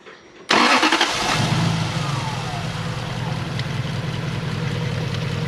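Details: Toyota 1UZ-FE V8 in an Altezza running on four cylinders: cranks, catches, rough uneven idle with ticking chatter from the noisy distributor rotor, found broken and apparently installed backwards; half the cylinders dead.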